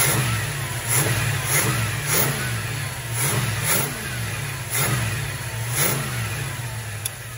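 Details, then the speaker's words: 1978 Plymouth Volare Super Coupe, just revived after years of sitting; repeated blips, each rev climbing and dropping back cleanly with crisp response and no miss or rattle; normal revving. "this thing's got some shot to it sounds good"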